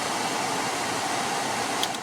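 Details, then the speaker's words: 2006 Toyota Camry cabin blower fan after the blower motor was removed and refitted to cure vibration that shook the dash; it now gives a steady, even rush of air with no wobble or rattle. "now before I put that cover back on I'm gonna test it out yeah no more vibration"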